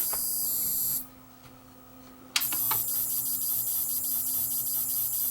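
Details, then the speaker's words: Samsung SV5000 multisystem VCR with power issues: thin steady high-pitched whistle over faint hum, switching power supply squealing; PSU fault suspected, unconfirmed. "yeah i know if you're listening with headphones you can hear the power supply squealing away like crazy here but it wasn't that apparent when i was in the noisy shop"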